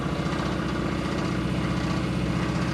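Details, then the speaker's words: V8 in a Gremlin idling rough and very low, heavy steady knock in time with rotation after hard running; broken lifter or pushrod also suspected, oil pressure present; suspected rod knock, not confirmed. "oh yeah that's a rod knock is there any oil in it yeah I mean it's got oil pressure"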